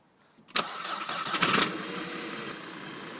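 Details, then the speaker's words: 2008 VW Passat 2.0T FSI with a misfire, running on borrowed coil packs from a 1.8T Jetta: starter cranks briefly, then the engine settles into an even, steady idle, much smoother; original coil packs are faulty. "so I don't know if you can make it out but the car is running right now way smoother even though these coil packs don't really fit"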